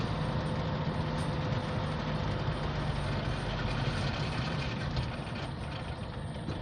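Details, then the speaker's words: Toyota D4D pickup diesel after a manual gearbox rebuild on an old vehicle. Steady, even low rumble with no knocks, whine or grinding from the driveline. The rebuilt gearbox engages well and sounds healthy. "ይሄን ይመስላል እንግዲህ በጣም ይቀበላል። ማርሹ አሪፍ ነው። በጣም ቆንጆ ነው።"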